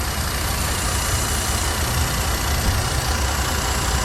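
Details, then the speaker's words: 2012 Jeep Liberty 3.7 L V6 at idle, in for warm A/C with compressor clutch not engaging: constant airy hiss over even idle rumble, heard at a fuel injector. Vacuum leak past leaking fuel injector O-rings. "No, that's a vacuum leak. Sounds like one. Yeah, that's a vacuum leak at the fuel injector."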